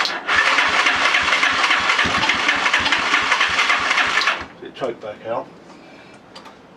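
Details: Lifan Earth Dragon 125 single, hot-wired project on its first start attempt: fast, uneven popping beat at about three and a half per second, then the engine dies; it is running on choke after the first start.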